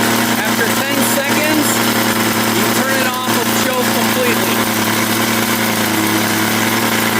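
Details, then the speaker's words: Craftsman 21cc Bushwacker two-stroke hedge trimmer, sat unused for almost a year, restarted warm after a 15–20 second shutdown to simulate real use; steady, even buzzing idle with no misses or hunting, runs fine; low and high speed seem fine. "Trying to simulate real world. It runs fine."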